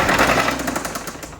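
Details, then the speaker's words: 2018 Audi RS3 five-cylinder DAZA, auction car with front-end damage, started rod knocking after about 20 miles and light pulls; restarted once to confirm: loud rapid metallic knock, eight or nine a second, as engine winds down. "So I did start it one time just to confirm it was rod knock, which doesn't need much confirming."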